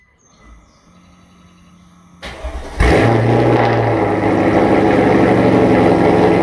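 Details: Mercedes SL55 AMG V8, first start after modifications and exhaust work, final tune pending: starter catches and fires into steady, even high idle, no belt squeal or pulley noise, quiet from the front; sounds healthy.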